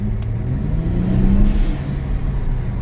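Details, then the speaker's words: 2022 Kia Stinger, 32,000 on the clock: test drive in the rain with a deep engine rumble swelling smoothly, no hesitation; it feels like a different car and accelerates responsively. "well now it's raining I've gone 50 m it feels like a different car you can see the responsiveness"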